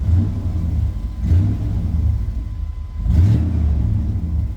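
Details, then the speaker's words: 1997 Chevy K1500 V8 after replacing the mass air flow sensor to cure long-standing hesitation, first start before test drive: short crank, catches quickly, settles into smooth deep idle with light blip; normal startup. "started right up seems normal"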